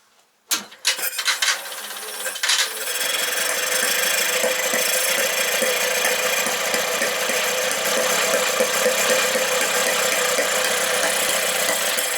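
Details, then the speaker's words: 1968 Kohler 6.5kW marine generator (model 6.5A27), under 300 hours, governor not connected, carburetor jets adjusted: long cranking with ragged firing that never catches, gas blowing out the exhaust; cranks but won't start, spark plug wires crossed. "uh i'm stumped that really sounds like it wants to start and we're blowing a bunch of uh looks like gas out the exhaust port"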